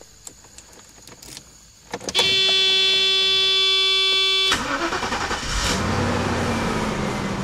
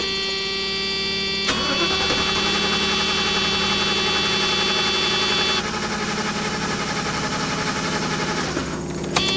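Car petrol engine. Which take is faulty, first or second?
second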